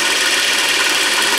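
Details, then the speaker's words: 24 V DC motor (prime mover for a 1943 Genemotor) reassembled after a tune-up and service. Bearings oiled with very thin oil. Smooth, even high whir with steady brush hiss and no knocks or grinding; runs fairly quiet, freely and healthy. "we'll put your motor back together after a little tune-up and service and running away quite nice with it fairly quiet"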